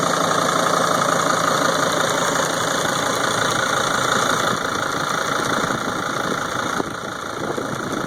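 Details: 2003 Sprinter diesel at idle: steady clatter with a regular knock about three times a second and ticking, louder than normal; cause not pinned down.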